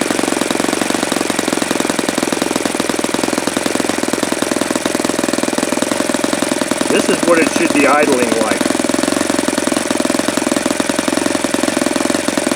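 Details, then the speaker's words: Saito FA-72 four-stroke glow engine, first run: rapid uneven popping idle, about three beats a second, holds only with glow heat on and dies when it's removed; owner suspects weak plug or still too rich, should lean low-speed mixture. "as soon as I pull this off, it's going to die. So, what does that tell me? Either tells me that plug is suspect or it's still too rich."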